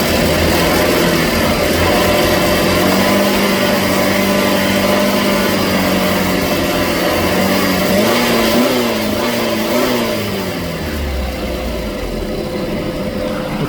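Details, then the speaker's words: PT Cruiser after exposed blue positive wire at the AC compressor clutch connector was repaired, which had blown 10–35 A fuses whenever it was revved; now on a 10 A fuse: smooth idle rises cleanly on a blip with AC on and settles without stumble, and the fuse holds. "that behavior would have blown the 35 amp fuse before the repair, but now it is absolutely fixed."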